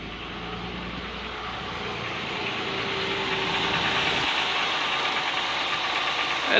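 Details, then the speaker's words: 2000 Oldsmobile Silhouette 3.4L V6, 170K miles, after new fuel pump for low-pressure hard starting: engine catches and settles to a steady even idle, smooth low hum under fuel hiss; about 46 psi running. "showing about 46. Should be 42 to 50, I think. So key on engine running, I think we're good."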